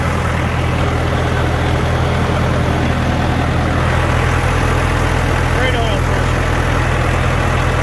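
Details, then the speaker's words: John Deere 450 diesel during break-in after in-frame rebuild, run at set rpm; deep, even rumble holding steady speed with no knocks, ticks or rattles; running clean; head re-torque and valve check planned after cool-down. "break in procedure is done um it's been running really well no bad noises"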